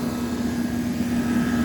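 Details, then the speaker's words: Air conditioner outdoor unit at a preschool, after repair, left running: steady even hum with no rattling, no bumping, no nothing; runs good, a healthy normal run. "No rattling, no bumping, no nothing. That's a little high,"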